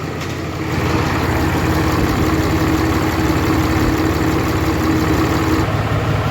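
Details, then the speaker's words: 2013 Ram 3500 Cummins diesel after a cylinder head replacement, warming up toward 160°F with no leaks found: an even idle with a smooth, steady clatter and no misses, knocks or hiss. Normal idle, runs really good. "sounds like she runs good running really good"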